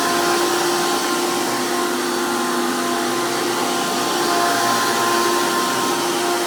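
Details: 2002 Hoover PowerMax II U5246-940 Elite upright vacuum with 12 amp motor and 20-blade fan impeller, after motor work: loud, steady high-pitched roar with even whine and airy hiss, no wobble or rattle; normal healthy motor.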